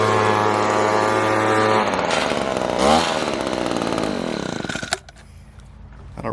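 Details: Echo PB-200 two-stroke leaf blower after cheap fix, discharge attachment refitted correctly (had been on sideways): buzzes steadily, revs up and falls back cleanly with no misses or stumbles; normal healthy running.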